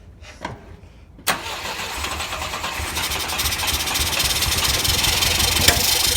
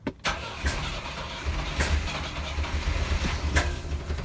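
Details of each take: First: Volvo 122S Amazon sitting 23 years, fuel line and air cleaners off: brief crank, then it catches and revs up for a few seconds before fading out; fires readily, normal start. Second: Volvo 122S Amazon sitting 23 years, fuel line unhooked from the tank: uneven cranking turning into a rough, stumbling catch with low thumps, shut off as gas sprays everywhere; engine running briefly on residual fuel.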